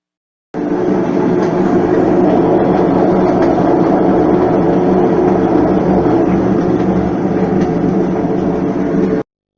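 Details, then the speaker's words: Mabe washing machine transmission (4.0): loud constant rumbling roar with rough rattling clatter during spin; seals let water reach the bearings, washing out grease and damaging them; bearings to be replaced. "si tu lavadora mabe y desisten 4.0 tiene un ruido en el centrifugado como éste"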